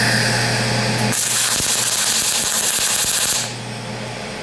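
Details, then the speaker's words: PrimeWeld MIG 285 with PW2500 spool gun welding thinner aluminum, filmed from the back side: harsh crackling hiss with irregular pops about four a second, then a quieter, steadier buzz; spattering arc from too-low wire speed. "I'd like to try to give you guys a better Arc shot of this but my camera is $1,000 and I don't all this spatter flying everywhere I don't want to ruin my camera"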